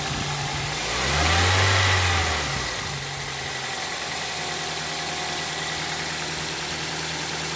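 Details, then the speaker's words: Toyota Celica after replacing the timing chain tensioner: smooth rev rises and falls back to an even idle with no ticking or clatter; the earlier slight clicking, blamed on the old tensioner not tensioning the chain, is gone. "I think I think the the slight clicking sound is gone okay so maybe with the old tensioner it's not it wasn't providing the right function you know the right tension and the timing chain wasn't rotating properly not tight enough and now I don't I don't hear that little minor clicking sound"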